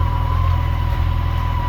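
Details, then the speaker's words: Yamaha FJR1300 AE motorcycle, 63,000 miles, sitting in fifth gear, idling smoothly with a steady even low rumble and no knocks or rattles; normal idle, despite its transmission problem. "runs idles perfect everything sounds good"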